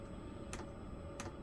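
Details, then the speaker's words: 5 kW diesel air heater during first setup, powering up and priming: crisp single clicks a bit over half a second apart as the fuel dosing pump pulses fuel into the line; normal, line may need bleeding. "into there so it is it is filling up with fuel that line goes around here through the pulse the that's the pump that is clicking or you can hear clicking"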